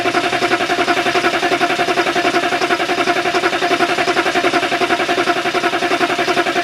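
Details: Diesel after a fuel filter change, with two new batteries: steady even cranking at about 160 turns a minute that never catches; owner finds no fuel at the bleeder.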